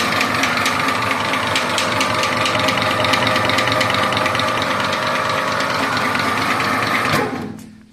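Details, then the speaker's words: Used MIM 300 industrial meat grinder (1440 W, 380 V, gearbox oil replaced): steady motor hum with an even rattle of about four beats a second, running quietly in reverse, then winding down at switch-off. Normal running. "Ось вона працює ця м'ясорубка працює тихо як на сорубку МІМ 300"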